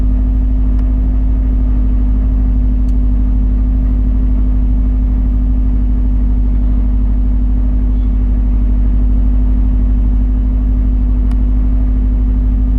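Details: Car started cold at 38°F after sitting about 8 hours, with idle left to the engine computer: low, steady rumble with a slightly uneven, loping pulse and no clear knock or tick. Rough idle.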